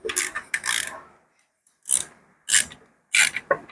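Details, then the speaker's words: Isuzu D-Max 4JK1 2nd-generation diesel with heavy internal knock, crank turned by hand: rough scraping bursts from loose connecting rod bearings with free play. "jadi kita akan tengok tarik dari bawah tengok dia punya pergerakan di sini Ini mesti ada bunyi frelay di sini oke dengar bunyinya"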